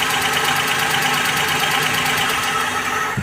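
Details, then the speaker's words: Maruti Suzuki Alto 800 at idle: uneven, lumpy idle stumbling about twice a second; disconnecting one cylinder gave no rpm drop, showing it dead although its supply checked fine; cylinder misfire. "इसको हटाने के बाद गाड़ी बंद हो ही नहीं रहा है मतलब कि देखिए तो आपने हटा दिया था फिर भी गाड़ी स्टार्ट है आरपीएम मतलब की जो आरपीएम ड्रॉप होना चाहिए यहां कुछ नहीं हुआ"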